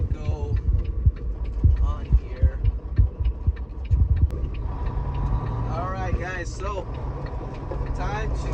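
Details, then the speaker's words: Glider truck after a breakdown and Freightliner repair, accelerating onto the freeway toward highway speed: deep, even diesel drone pulls strongly, turbo spools cleanly, no knocking, shudder, misfire or earlier vibration; healthy. "all right as you can hear the turbos cool up just absolutely no other sounds just beautiful the vibration oh yeah no vibration so hold on just gotta hit the highway speed here vibration it's accelerating really well"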